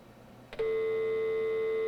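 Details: 1983 Hayes 1200 Smart Modem (1200 baud) on a Windows 98 PC, dialing a home VoIP dial-up server running on a Raspberry Pi: a click, then a clean steady low tone after pickup. Normal off-hook and dial tone before dialing.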